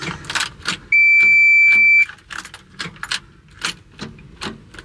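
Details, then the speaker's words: CAT 336 excavator at about minus 15 or colder, intake heater on: key gives a single steady warning beep, no starter engagement or cranking; key start relay solenoid replaced first. "Alright, so we got nothing. I'm not even going to check that switch, that relay. I'm just going to replace it."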